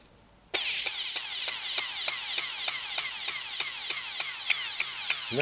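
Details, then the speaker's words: Dremel 4000 rotary tool used for jewelry work, speed controller board replaced about eight months earlier, failed after 2–2.5 hours of use. A high whine surges and drops about three times a second and never holds speed as the motor cuts in and out. Owner suspects a brush isn't getting power. "happens sleeve adjustment it tries and then can't cope i'm not sure what it's trying to do that's clearly no good"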